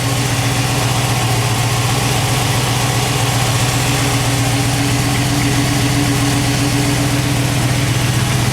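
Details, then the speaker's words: Cold start of a V8 truck with MSD 6A ignition, MSD wires and a 200 amp alternator; choke and high-idle circuit working. Smooth, even fast idle with a steady low rumble and no lifter noise, ticking or knocking. Normal cold idle. "Now that is a true cold start. You can hear there's no lifter noise, no knocking, no"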